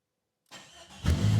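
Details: 1996 Jeep XJ Cherokee started keyless via newly installed Firstech CMX remote start, fuel pump prime heard: short crank catches quickly, settles into low steady idle, no misses.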